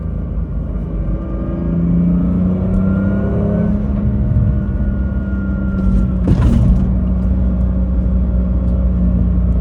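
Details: BMW M2 with DCT on cheap polyurethane transmission mounts, driving: deep steady drone with faint rising gear whine and gear/flywheel clatter, heavy vibration through steering wheel and chassis; stiff poly mounts transmit transmission whine into cabin.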